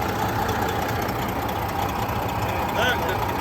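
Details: Truck diesel with about 600,000 miles, hood open in shop while checking for leaks (a drip seen); steady low clatter at even, unhurried idle with shop noise around, no puffing or uneven chuff; engine sounds healthy.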